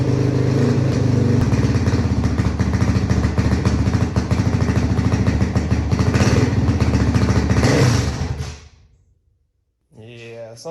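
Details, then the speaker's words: 2005 Honda CRF450X, stored about 10 years, kickstarted after fixing fuel tank leak: rough, uneven single-cylinder bark falters and fades out at about eight seconds; carburetor bogging, later fixed by carb tuning. "definitely not right with that carburetor if you recall it was basically doing the exact same thing on my 400 so I'm going to have to figure that out real quick"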